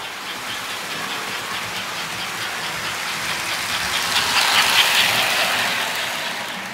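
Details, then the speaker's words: American Flyer 342 switcher locomotive after full teardown and cleanup, power ramped up from very low; smooth steady hiss and rumble with even rail clicks swelling as speed builds, running cleanly. "Here we go. Very low power. Ramp it up a little more here. Off she goes."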